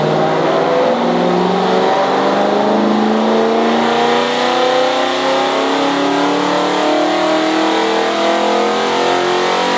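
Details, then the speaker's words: Supercharged BMW E92 M3 V8 on a dyno, base tune, first run after warm-up: engine climbs in pitch but sounds uneven; misfire on cylinders 7 and 8, ignition disabled, same fault as before. "I think it's broke oh no you got a Miss fire on 7 and eight oh dear same oh ignition disabled 7 and eight"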